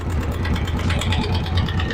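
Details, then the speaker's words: Italika DM 200 motorcycle single-cylinder engine at idle with fast metallic rattling knock, heard loudest on the clutch side, though first suspected in the head rockers. "Yo escucho el ruido muy muy arriba en la parte de la cabeza tal vez puedan ser los balancines los que están mal"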